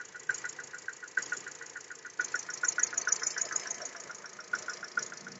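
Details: VW EA211 1.6 MPI 90 hp, about 9,874 km, factory VW oil, morning cold start at −6.5 °C after sitting outside overnight following a 380 km trip; sharp regular ticking about twice a second over quiet idle: engine knock, source unclear.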